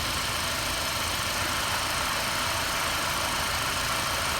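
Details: Mercedes W212 E250 CGI petrol engine idling steadily and evenly with a soft hiss over a low hum, after starter motor brush repair fixed a no-start; charging at about 14.33 V.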